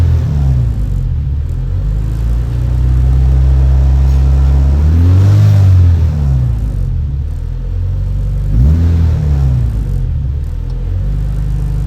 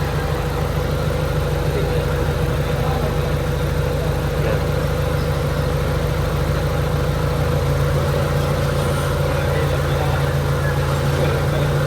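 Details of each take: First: Honda Civic EK with check engine light and high idle (IACV reportedly cleaned), warmed to temperature: idle climbs to about 1400 rpm and keeps hunting, surging up and dropping back instead of settling. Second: Honda Civic EK, warm, AC on, idle air increased after slow recovery under aircon load: steady, smooth low hum without hunting or misses; idle now normal.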